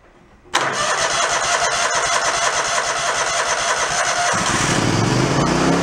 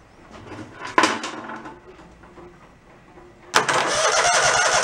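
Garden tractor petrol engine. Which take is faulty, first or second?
first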